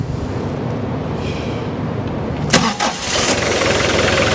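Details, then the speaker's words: Mitsubishi 2.5-tonne diesel forklift after new battery (12.6 V) and refitted heater plugs, previously hard to start: brisk quick cranking, catches at once, steady run, charging 14.2 V; old battery was probably failing. "You can hear the engine there. It turns an awful lot quicker there on the start as well. So the battery probably was on its way out."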